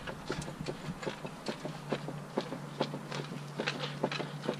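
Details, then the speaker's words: Turbo B18B1 EF hatch with engine off and car on a jack: uneven light clunks and knocks, about two a second, as the wheels are steered; suspension clunk from loose bolts. "now without the engine on and like me dry-humping the [ __ ] car problem jack on the bottom you can steer here that clunking noise"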